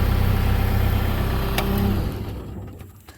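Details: New Holland L223 skid steer diesel (about 2015) after fixing a no-start, no-crank by swapping the bad starter/ignition relay; it chugs at an even steady beat, about four pulses a second, then winds down smoothly. Normal running.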